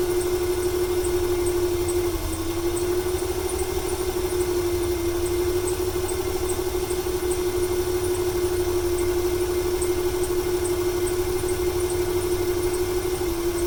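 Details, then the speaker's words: 1995 Ford 300 inline-six with over 400k miles: steady idle with a faintly uneven, loping beat about three times a second under a high whine. It stutters more when gas is applied and smoke comes from the PCV. Owner wonders whether fuel or timing is to blame. "It started to stutter there a little bit more when I applied the gas right off the bat. Wonder if it's a fuel issue or a timing issue."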